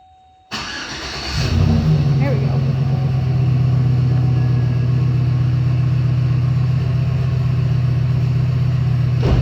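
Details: 2007 Chevy Silverado after fuel pump replacement: cranks and catches within a second, rises briefly, then settles into a steady, even low hum. Starts cleanly and idles smooth.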